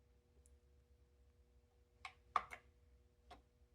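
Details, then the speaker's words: Dual turntable (Dual 10XX/12XX-type idler-drive) running near 33 rpm, auto-return test: crisp mechanical clicks as the tonearm swings back, drops and shuts off, over faint motor hum heard because the deck sits on the motor outside its plinth; normal auto-return cycle. "But let's just see if this auto return works. And you just swing right back over and you drop down."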